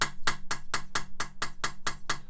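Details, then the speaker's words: Mitsubishi Evo 4G63 cylinder head rebuild, lapping a valve onto an uncut seat: sharp metallic taps of metal-on-metal contact, contrasted with the popping noise of a properly cut seat. "so you can clearly hear that there's a popping noise as opposed to like a metal-on-metal noise"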